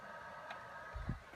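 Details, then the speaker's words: PS4 after cleaning its clogged fan, running under gameplay load for 5–10 minutes: soft steady fan whoosh with faint hum, no rattle or scraping; not silent but much quieter than before, normal fan noise. "as you can see it's not totally silent however it is a lot more quiet than it was before"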